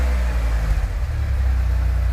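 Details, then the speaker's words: Vehicle on the lift with new mufflers in place; revving gives a deep, even, smooth exhaust rumble, quieter than before, no rasp or popping. A front exhaust leak remains. Normal exhaust note. "Ooh, doesn't sound bad. Doesn't sound bad at all. Doesn't sound bad. A little bit quieter, which is good."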